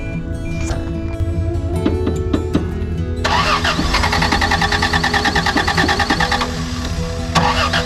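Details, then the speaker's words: 1987 Toyota Land Cruiser FJ60, 2F engine, first start after seven years sitting, with fresh gas, fuel filter and battery: starter grinds briefly, then it catches and settles into a steady run, music over it; starts cleanly. "thing hasn't been fired up for seven years so it's sitting in the guy's back lot for seven years some gas battery fired right up that's a land cruiser for you"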